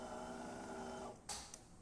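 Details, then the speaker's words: DeLonghi Magnifica XS after service, including a new valve after the brew unit jammed: smooth, even motor whirr for about a second as the brew unit moves to drop the grounds, then a couple of light clicks; normal brew unit cycle. "Then it's going to stop. It's going to move that brew unit into the grounds container to drop the coffee"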